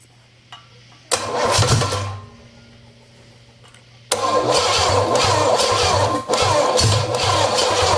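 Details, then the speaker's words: Engine with a Quadrajet carburetor, cylinder soaked with fuel, owner unsure if timing is 180 out: two cranking bursts with uneven sputtering catches that never run; getting warm and smoking; no start, from bent pushrods. "I mean it's trying but I don't want to burn everything else up that sucker is getting warm getting smoke now"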